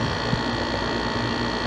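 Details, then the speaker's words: Dometic RV rooftop air conditioner running, cover on: steady fan hum with buzzy rattle from the vibrating copper Freon return line rubbing through a worn rubber cable clamp to metal contact; holding the line stops it. "so what is doing this it's right there this free online going into that clamp right there the evidently the rubber is worn because when I can make this noise and I hold that it stops"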